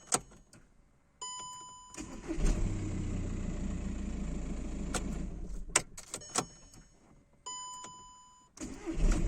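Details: 2009 VW Jetta 1.9 TDI (BXE) had a hard start and code P0341. After fitting an OEM camshaft position sensor, since a new Delphi one kept the fault, it cranks briefly, catches at once and idles smoothly. Normal start.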